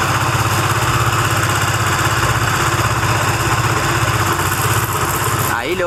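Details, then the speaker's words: Benelli TNT25 250cc motorcycle at idle: loud, rough, uneven knocking like a buzzing bee, heard more on one side near the shafts area; abnormal engine noise persisting after three mechanics and new parts, cause unknown. "pero el ruido en sí es ese que hace como una abejita"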